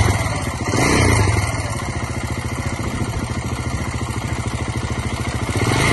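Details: 2009 KTM 690 Enduro R single-cylinder at idle: light, fast tick on every beat from left side of engine. Rocker roller arms look OK, valve clearance in spec, manual cam chain tensioner fitted with no change; cause unknown.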